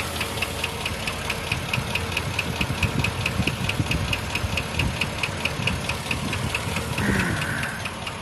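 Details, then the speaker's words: GMC XUV Copart rebuild at about 12k miles since rebuild; light sharp ticking about twice a second over a rough idle, from one side of engine; owner suspects bad lifter, possibly low oil. "I have a bad lifter it sounds like hold on one second it definitely sounds like it's coming from that side"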